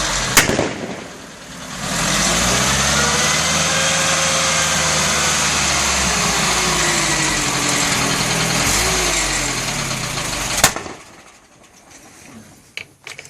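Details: IFA Robur LO military flatbed truck (East German): the old engine held at high revs runs ragged and uneven, with a sharp bang as the throttle closes; misfiring with backfire and exhaust flames.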